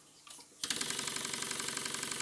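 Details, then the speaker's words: Stuart S50 model steam engine running on compressed air on the bench: fast, even, light clatter riding on the air hiss, caused by guide bars not tight enough on the crosshead; crosshead knock from loose guide bars. "the knocking noise you can hear is because the guide bars are not tight enough on the crosshead"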